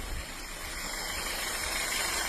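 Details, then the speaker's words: 2015 VW Golf 1.4 TSI, in for misfires on all cylinders, in freezing weather with part of the airbox disconnected: steady even idle under a loud open-intake hiss with no stumble. Misfire data now shows no misfire on cylinder three. "But no misfire on cylinder three."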